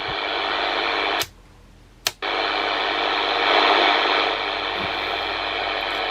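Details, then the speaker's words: Harvard H-407 CB radio with parts missing, first power-up with RF and mic gain turned up; speaker gives a harsh, steady hiss and crackle, briefly cutting out twice; audio distorted though channel selection works, cause not confirmed. "yeah that sounds pretty nasty from that speaker so uh but at least we do have channel selection"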